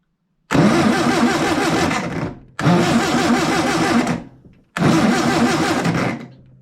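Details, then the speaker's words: Long-stored air-cooled VW engine after points roughly cleaned and adjusted, 12 volts hooked up: three two-second cranking bursts, turning evenly but never catching, engine wobbly; only one spark seen, contacts pretty corroded. "Nothing, and the engine is very wobbly. I had one spark. I'd love to see that again."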